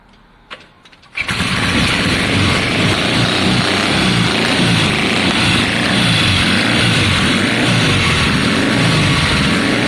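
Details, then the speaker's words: 1972 Triumph Bonneville T120 twin, Mikuni carbs, kick start, first start in a long time, cold on choke: kicks over, catches into loud, slightly uneven beat; both cylinders firing but rough idle. "yes yes we've got both cylinders no now you're on choke on on this side the choke's now on"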